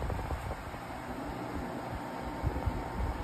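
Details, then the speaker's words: Hisense portable air conditioner after cleaning and drying, compressor kicked in, swing mode on: even airy fan rush over low steady compressor drone, no rattles or squeals; blowing cold, normal running. "really nice little portable unit it's running really nice you guys can hear the motors running and the compressor has kicked in so you can tell that this unit is blowing really nice cold air"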